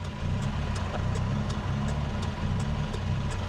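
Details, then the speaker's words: Nissan Sunny truck with a rebuilt A15 engine (replacing the A12), automatic, performance cam. After start the idle drops from about 1500 to about 1000 rpm and then lopes with a lumpy beat about three per second: lopey idle from the cam. "Yeah, it's sitting on about,000 now. That's when it starts do its lopey stuff."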